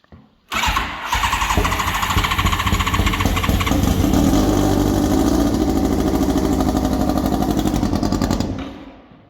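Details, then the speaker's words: Formula 4 race car running on alcohol fuel, after work to fix a fuel leak: engine catches at once and settles into a steady, even rapid beat with crisp exhaust, no misses or knocks; normal start and idle. "That sounds promising."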